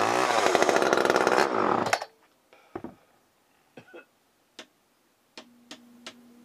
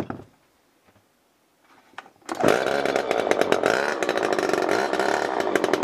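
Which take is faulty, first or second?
second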